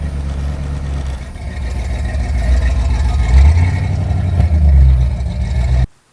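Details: Fox body Ford Mustang V8 rolling under power: heavy deep rumble with choppy stumbling beat dropping pulses, misfiring; brakes non-functional.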